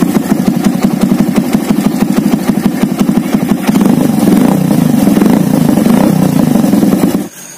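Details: Thunder motorcycle after its exhaust was rebuilt because the rear section was damaged and noisy: an even single-cylinder putter at idle, swelling slightly as the revs rise, with a soft, mellow tone and no rasp.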